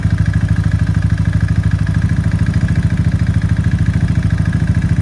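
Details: Suzuki LS650 motorcycle after piston seizure at about 4500 rpm up a 6% grade into heavy headwind: heavy, uneven knocking at idle, about three beats a second, hollow clatter; piston slap, teardown found seized piston and .009"+ clearance.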